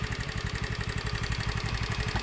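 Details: Honda Beat FI scooter idling without its fuel pump, fuel pressure supplied by an infusion bottle pressurized with a hand pump, testing a suspected weak fuel pump behind stalling/misfiring; even, steady thumping, no misses, clean normal idle.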